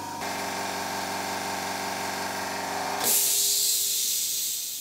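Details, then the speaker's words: Quiet air compressor bought to supply more free air for a framing nailer and tire inflator: steady low motor hum for three seconds, then a sharp hiss as it switches off automatically at target pressure; healthy. "and if I turn the compressor on now you'll realize what I'm talking about that's the compressor running flat O's"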